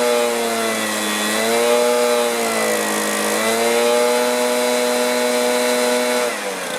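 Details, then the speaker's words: Stihl BR450 two-stroke backpack blower that choked out after running, after new carburetor, fuel tank vent fix, coil air gap and high-side carb adjustment: steady high clean note at high throttle, no bogging or surging; normal running. "bit there Sweet Spot still running good"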